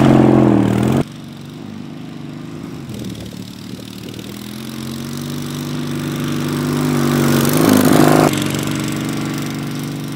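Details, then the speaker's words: Racing Panzer small engine after carburetor cleaning and fuel pump install: catches and settles into a steady even idle with smooth revs; now running good. "but this is good now that we got this thing running good"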